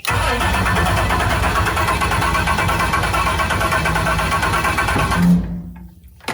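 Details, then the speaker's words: 21 ft Eliminator Daytona jet boat, twin-turbo 427ci LSX with Dominator jet drive, first water test: steady starter cranking about three beats per second for five seconds with no catch. Cranks but won't fire; no fuel pump heard at first. "I swear it used to run I don't hear a fuel pump going though"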